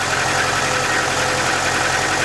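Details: 1.6 injector petrol engine with hydraulic lifters idling steadily and evenly after repair, no valve-train ticking; previously lifters knocked even when warm, now only briefly at cold start after sitting.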